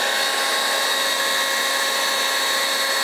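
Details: Dewalt DCBL720P1 20V cordless handheld leaf blower at full speed during a sound level test, about 90-93 dB around the sides and 100 at the rear intake: loud, steady high-pitched rush of air with an even fan whine, running normally.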